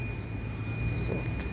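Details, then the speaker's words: Android LED TV board repair, multimeter in diode/continuity mode on the 12 V supply line: continuous high steady beep over low background hum, meter showing continuity, so the 12 V line is shorted. "ये जो आवाज़ सुनाई दे रही है आपको, ऐसा बता रहा है तो शॉर्ट है, ठीक है। तो ये लाइन कहाँ कहाँ शॉर्ट हो सकती है, 12 वोल्ट की लाइन।"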